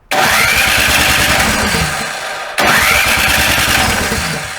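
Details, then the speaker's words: Snow blower not starting on first start after summer storage: starter cranks steadily in two bursts of about two and a half seconds but never catches; fouled carburetor float bowl needs a few seconds of gasoline drained via its two bolts. "you know when I start the blower first time in a winter it won't start so make sure everything gets okay round chalk"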